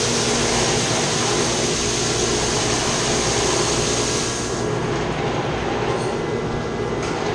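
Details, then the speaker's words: Chiller's chilled-water pump shaking badly, with its copper lines shaking too. Loud steady rushing roar with a rough rattling undertone. The strainer needs cleaning out, and there is also a leak. The plan is to shut down the chiller and pump and clean the strainer. "Say it's shaking bad in the pump. Making a lot of noise. You see it's shaking. What's happened though, they got a strainer right here. This needs to be cleaned out."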